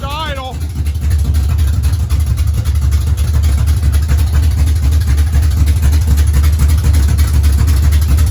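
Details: Race car engine at steady idle, not yet up to temperature and running without a fan: deep, even rumble with no misses, knocks or surging; sounds healthy.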